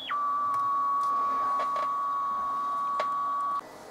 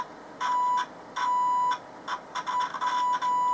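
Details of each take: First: Vintage military-style transistor radio running off 6 volts, dead at switch-on, drawing 15 mA: clean, steady whistle around a thousand hertz for over three seconds; heterodyne whistle shows the local oscillator is working. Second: Vintage military-style long/medium-wave transistor radio on AAA batteries: a steady test tone cuts in and out, then chatters in broken bursts. A dry joint was suspected, but the cause was an internal open circuit in the 100 µF 10 V output coupling capacitor, which was replaced.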